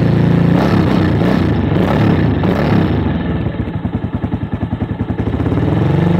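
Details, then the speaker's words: Avenger Cruiser 220 motorcycle, 2400 km, sat two months without fuel, after carburetor cleaning of clogged main jet and atomizer: brief rev then steady, even single-cylinder idle, now running even. "ah bueno yo aparentemente ya lo hace más parejo"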